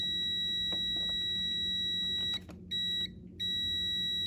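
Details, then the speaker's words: Jeep 4.0 engine after a complete teardown and overhaul: multimeter continuity beep on two harness plug pins cuts out and returns as the harness is moved. Shallow insulation break in the wiring harness causes an intermittent short; harness needs repair. "I've got a break in the insulation somewhere in that harness luckily it's not too deep"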